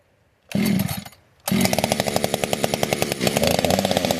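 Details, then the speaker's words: Fully built 60cc chainsaw, tuned with ignition advance: fires on a pull with no choke or high idle, catches on the next, settles into crisp, even two-stroke rattle; clean, healthy start and run. "That extra air moving through there, and see how it started it. It's not even no choke, no high idle. 4 or 5 pulls, man. She fires up."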